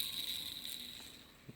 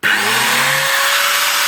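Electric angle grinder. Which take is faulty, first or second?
first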